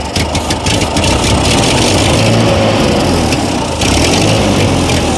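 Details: Ford 8N 6V tractor abandoned 8 years in storage, started on ether: uneven, lumpy idle like firing on only two or three cylinders, then picks up; 20–25 psi oil pressure; owner suspects fuel.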